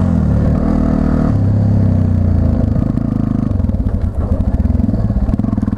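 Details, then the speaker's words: 1999 Yamaha TTR 250, warmed up: single pops settle from a quick rev into a slow stumbling idle that sags and nearly dies; owner suspects throttle return not holding it open enough, so idle speed is too low. "hear it wants to die I don't know what is wrong with the maybe my tunings off maybe my auto returns off yeah it's gotta be because it's so what I'm thinking is it's freaking sweat bees"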